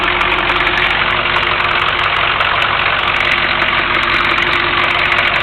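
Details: 1983 Chevy Suburban Silverado 6.2 diesel, started using glow plugs, hood open: steady, even diesel idle with constant clatter and no knocks or stumbles; normal healthy idle.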